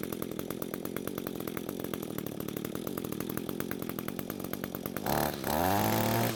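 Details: Two-stroke string trimmer that had spark, some compression and fuel but wouldn't start, now running after suspected bad coil replaced and fuel flow confirmed, carb untouched: even steady idle buzz, then revs up cleanly and holds; runs as it should.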